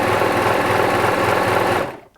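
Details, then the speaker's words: Bernette 610D serger/overlocker, near-new ex-demo machine the customer finds noisy, before service: unthreaded at full speed, a fast, even high-pitched whirr with light steady mechanical chatter, then spin-down; sounds fine, the tech suspects the noise is the motor at low speed. "Because the machine doesn't actually sound too bad. That's full speed. This is full speed. No thread."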